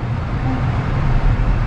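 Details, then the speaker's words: 2013 Lexus CT200 AC blower motor after replacement; the old unit made grunting and grinding noises. A steady, low rush of air with no ticking, rubbing or wobble; the new blower runs smooth and quiet. "yes we got air and it sounds smooth and quiet"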